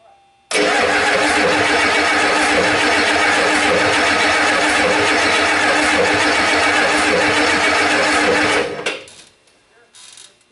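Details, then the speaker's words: 1989 Ford 7.3 IDI non-turbo diesel: about eight seconds of steady, even cranking with no catch; no-start because the rear injector was missing o-rings, losing fuel pressure. "some reason this engine was missing a couple of rings on the back injector so we were just losing feel pressure"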